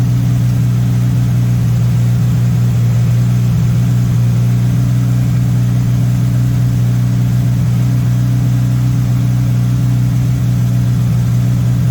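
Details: MK1 VW Rabbit with Weber 32/36 carburetor, no choke hooked up: steady, even hum that never settles lower, idle fast around 2000 rpm; needs turning down via idle screw, owner suspects an audible vacuum leak, later set to about 1100-1200 rpm.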